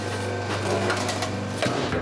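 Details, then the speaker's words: Antique fridge compressor running off a 600 W pure sine wave inverter: steady low hum holds evenly under light handling clatter; compressor running smoothly and fridge getting cold. "running quite nicely that's getting cold oh that's getting freezing excellent i love those old fridges"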